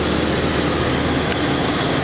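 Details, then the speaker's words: 1992 Ford Falcon EB Series 2, 4.0 L straight-six, cold start after two weeks sitting: steady loud whooshing roar over smooth cold idle, no knocks; normal viscous fan clutch roar that fades once revved. "typical cord with the the clutch fan noise which does piss off once you give it a rep"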